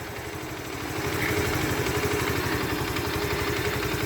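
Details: Alpha Motoland Scout 110cc motorcycle after replacing the failed oil pump, piston kit and cylinder head to cure a head knock: steady single-cylinder putter about four beats a second with light valve clatter, even and unbroken, idling normally.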